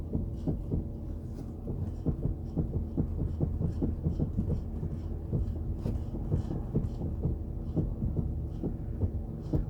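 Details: Chrysler 300C while braking: uneven light taps, roughly a few per second, over low road rumble when the brake pedal is pressed; source of the tapping is not clear.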